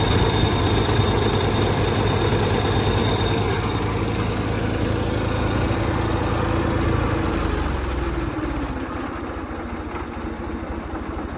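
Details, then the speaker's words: Ford 2600 tractor after valve adjustment (one previously stuck valve freed): steady idle with light even valve-train tapping, much quieter than before, then the engine note drops lower. "sounded much quieter so these are pretty noisy but you hear a little bit of tapping ignore ignore that whatever that noise is but you hear a little bit of tapping under the Val cover but not like it was before"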